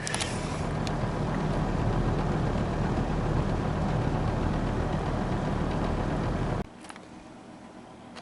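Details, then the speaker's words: All-plastic Wesston box fan on medium: a steady low motor drone with a dull airflow rush, turning very slowly as the motor labours against old stiff grease; it is expected to speed up as the oil warms. The cause is suspected, not confirmed. "that's just a classic example of super old stiff grease anyways we'll go to medium here pretty slow you can hear the motor trying to wear it up"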